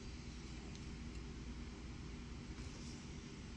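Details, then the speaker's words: GPD Win Mini (7640U, 16GB RAM) handheld PC doing nothing but light web browsing, stock fan curve possibly on Custom 3 in Motion Assistant: steady, even rushing hiss of the cooling fan running flat out; owner suspects the fan profile. "I'm not even doing anything all I did was open the web browser and change the taskbar and the fan was going Buck Wild"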